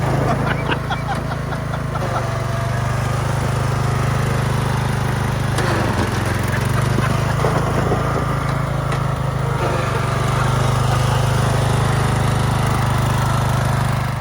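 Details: Craftsman LT1000 yard tractor after tune-up, new battery, spark plug, fuel lines, oil change and belts, being ridden: steady, even single-cylinder drone holding pace under way, no misses or knocks; mower running healthy.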